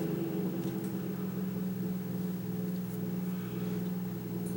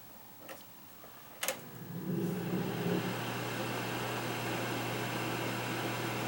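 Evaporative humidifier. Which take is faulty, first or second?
first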